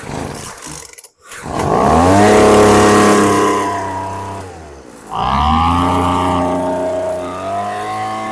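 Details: Craftsman 215 MPH 470 CFM two-cycle leaf blower, sat a long time, after fresh mixed fuel, fuel filter cleaned and carb mixture screws opened about a quarter turn: fires, revs high, dips, then holds a steady buzzing run; normal running.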